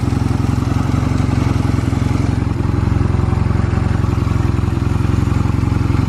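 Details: Stored Honda Rebel 250 Special (MC13) in a start-up and operation check at idle: a steady, even low thumping with no knocks, ticks or stumbles. No abnormal engine noise; healthy engine.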